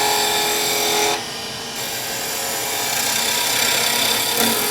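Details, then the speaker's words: Wood lathe skew chisel cut turns rough, choppy and chattery when the bevel loses contact with the work, deliberately demonstrated. "you hear that chattering a little bit I lost the pebble they've done a purpose they could hear that"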